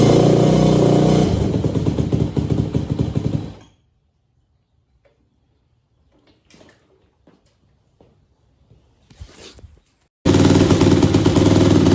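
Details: 2001 Yamaha YZ250F first start after all top-end gaskets and seals were replaced and the carb and pipe were refitted: crisp, even single-cylinder bark at a steady fast idle that cuts out, then fires again evenly. Running normally.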